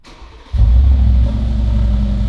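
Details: Rebuilt wrecked Mercedes G63 AMG after fitting a Miltech exhaust: quick crank, sharp catch into loud deep rev, then a steady throaty idle; clean healthy V8 start.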